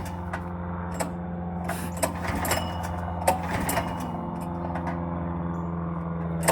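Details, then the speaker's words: Small single-cylinder go-kart engine, restarted after sitting 15 years: fast, steady idle with intermittent clunks as the centrifugal clutch grabs and lets go; idle set too high and needs tuning down. "choke just like that our baby's alive so you can see what it's doing is it's grabbing and letting go what I need to do is I need to tune this down a bit"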